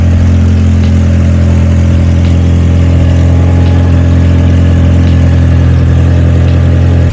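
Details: Cheap UK GTI petrol car idling after being jump-started with a booster pack: deep, uneven drone with a faint puffing tick over the top; an exhaust leak, about to be located with soapy water.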